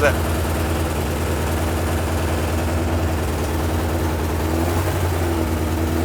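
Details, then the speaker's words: Suzuki Katana barn find, started after 31 years standing, warming up on its original spark plugs; deep, uneven, lopsided throb at steady speed with a vibration, running on three cylinders; misfire, a broken-down plug suspected. "that on three it is that sounds like it's on three dad listen what's that vibrating though it's definitely on three cylinders now"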